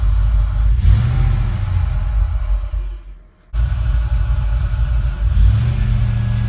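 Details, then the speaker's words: Silverado with messed-up tune, after sitting, fully warm on a near-100°F day, just after vacuum/boost gauge install; deep uneven rumble surges and sags, nearly stalling, needing two-foot driving; owner blames the tune, cause unconfirmed. "See, when you first turn it on, it's been sitting for a while. It does not like to idle at all, and it's plenty warm."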